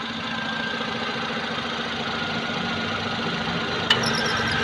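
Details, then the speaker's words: Maruti Suzuki Alto idling, noise only when AC is switched on: steady high-pitched squeal over the engine as the compressor engages intermittently; AC belt squeal. "AC ഇടുന്ന സമയത്ത് compressor വിട്ടുവിട്ടാണ് പിടിക്കുന്നത്. പക്ഷേ നല്ല sound കേൾക്കുന്നത്."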